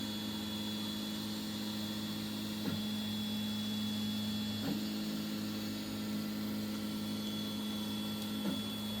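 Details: 3D printer extruder with a Goliath hot end (Fibre steam HGX setup), printing with the first layer not sped up. Steady low motor hum with clean tonal whirs shifting every few seconds as moves change, no clicking or skipping; extruder running normally.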